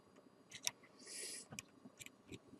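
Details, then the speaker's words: Cooling fan of an old Phoenix Gold ZX475TI car amplifier, powered directly on the bench: faint, irregular light ticks near silence, no spin-up hum; the fan twitches but won't turn or start, cause not yet confirmed. "voilà il fait que ça il tourne pas il arrive pas à se lancer"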